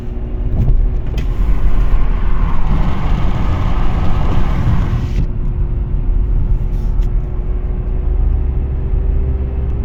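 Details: Audi A4 B8 Avant: constant deep rumble while driving, rising steadily with road speed, from a failed wheel bearing; fixed by replacing it with a FAG wheel bearing repair set.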